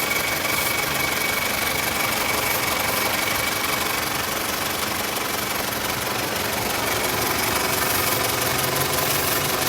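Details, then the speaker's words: 1998 Toyota Camry 4-cylinder, 87,000 miles, failed smog with P0171 lean, long-term fuel trim about 10: steady petrol idle with faint airy hiss, note swelling when sprayed, from a leaking bad rubber intake hose. "So we come over here and we can see that we have a leak on the intake hose here. So we're going to hear that RPM is running, and once I shoot in this chem tool, it should increase in sound."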